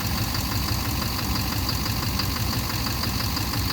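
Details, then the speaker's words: 2009 Chevrolet Duramax LMM diesel dually at idle during injector cut-out test: rough idle with repeating knock around ninety a minute under the diesel rattle, seemingly from rear of engine; injector knock or cracked flex-plate suspected, not confirmed. "It sounds like the back of the motor. Sounds like the center."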